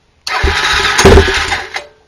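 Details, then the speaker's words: 2007 Honda 400EX quad in the cold, choke pulled: the starter spins the single over with even compression pulses for about two seconds, then it quits without catching; the engine will not start and the cause is undetermined. "compression but I can't get it to start so it's for sale"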